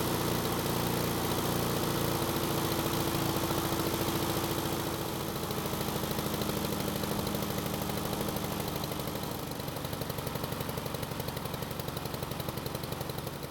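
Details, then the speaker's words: Husqvarna lawn mower small engine on test start after carb reinstalled: runs fine at first, then sputters with an uneven, stumbling beat and slows more as it warms; black smoke, choke suspected, but the throttle plate was stuck. "there's something wrong when it started it seemed to run fine but then it started to sputter and as time went by and as the engine got warmer it started to sputter more while the engine speed started to get slower"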